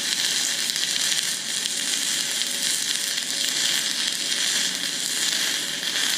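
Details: YesWelder Firstess MP200 stick welding 6010 rod at 100 amps: a steady crackling arc with brief dips and sputters, it won't hold a long arc and wants to cut out even when pushed into the puddle, though it still digs deep.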